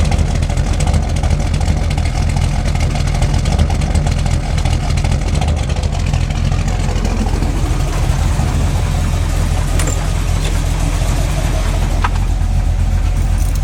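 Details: Freshly built SBC 350 (aluminum 64cc heads, 10:1 flat-top pistons, Edelbrock intake, 600cfm carb, likely out of tune), in gear, idle and revs: faint repeating knock that keeps pace with engine speed; persists with plug wires pulled, owner suspects piston slap or flexplate.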